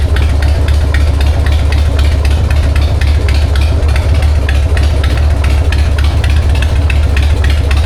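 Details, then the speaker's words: 1999 Harley-Davidson Sportster 1200 with S&S Super E carb, after cleaning and replacing the faulty accelerator pump; choked start, in neutral, with a clean, even V-twin idle and no stumbling or sputter. Runs healthy. "You can't tell me you don't love that sound. That is a 1999 uh Harley-Davidson Sportster 1200 with an SNS carb."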